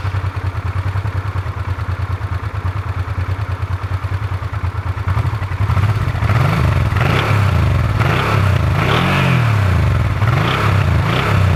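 An uneven clatter at idle, roughly two a second, grows busier when the engine is revved. Something unusual is going on inside the engine.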